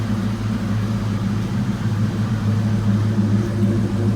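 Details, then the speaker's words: 1992 Mustang GT Foxbody V8 after the engine bay was reassembled: a deep, steady exhaust burble at an even idle with no misses or ticks; the exhaust sounds better than ever and it's running pretty good. "not a good to exhaust they actually sound better than ever hands [Music] yes she's running pretty good we're working on it"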